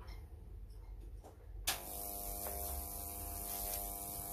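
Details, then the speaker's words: Oil-filled three-phase high-voltage transformer, about 40,000 V, with microwave-oven-transformer ballasts, output lead near ground: quiet, then sudden steady hum with fine hiss at switch-on; corona hiss from current leaking to ground. "can hear it hissing immediately and you can see it's actually leaking current to the ground."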